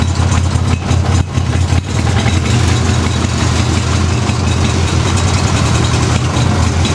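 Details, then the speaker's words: Craftsman with 14 hp twin-cylinder Briggs engine: uneven, lumpy idle that stumbles and dips early on, one cylinder firing weakly though spark checked good; owner suspects compression or rings, unconfirmed. "one of the cylinders is uh is uh is not running right it's like it's like a sort of like a dead cylinder but it's actually still firing"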